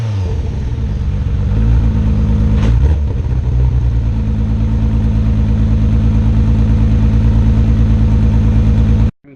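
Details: R32 Skyline GTR after a fuel pump connection fix, plugs looked fine: revs up then holds with a choppy stumbling beat instead of a clean pull. Misfire persists under throttle; owner suspects the tune, unconfirmed.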